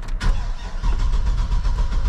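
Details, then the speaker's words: 2006 Chevrolet Silverado 2500HD, 6.0 L LQ4 V8, about 155,000 miles, dim dash lights: strong even starter cranking with steady compression pulses that never catch; cranks but won't start, fuel pump suspected inoperative. "okay cranks well that's not gonna work"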